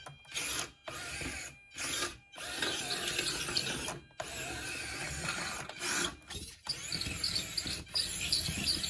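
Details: Miniature combat robot on a test drive after fitting a new Turnabot combined ESC/receiver/mixer and reversing channels; short bursts of high electric motor whine with clean stops and quiet gaps. Drive motors sound smooth and healthy.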